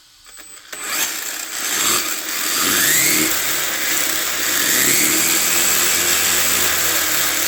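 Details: 1/14 scale RLAARLO/CROBOLL monster truck, metal chassis, after brushless conversion with Hobbypower 3650 12T 3300KV motor: a high electric whine that climbs and settles with speed over gear chatter, smooth and steady; normal running at speed.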